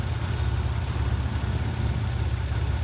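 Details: 1994 Chevy S10 Blazer with CPI intake: it cranked with fuel and spark but would not start, despite a new cap, rotor, coil and ICM. It runs once cylinder 1 is moved to position 3 on the cap with the 1-6-5-4-3-2 firing order: smooth, steady idle, no knocks or misses.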